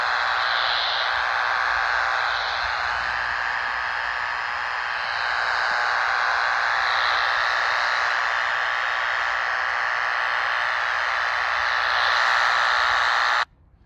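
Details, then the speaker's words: Radio at location 6, near poles on private property: steady raspy buzz with a fast pulsing edge near four per second, strongest here and fading down the street; suspected arcing on nearby power line hardware, not confirmed. "But it's definitely close here, and it fades as we move down the street in that direction."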